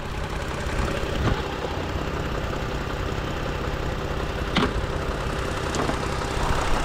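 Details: 2018 Toyota Sienna with replacement engine, after fixing a loose ground that caused a crank-no-start: even, steady idle hum with no stumble or knock, faint background clicks; scope confirms fixed, engine idles normally.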